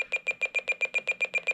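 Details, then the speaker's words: President McKinley II FCC CB radio in automatic SWR check mode, into a 10 W dummy load through an MFJ Versa Tuner preset near 3.0 SWR: rapid, even high beeps warn the antenna is not yet matched. The beeps become a solid tone at 1.0 SWR. "and when the beeps get to a solid tone then we know we have a matched antenna"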